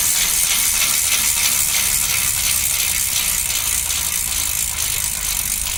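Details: Old bike's rear wheel spinning freely, with a piece of wood put in place so the sound can be heard. Fast, very loud, sharp ratchet clicking in a steady buzz. Healthy freehub, just loud.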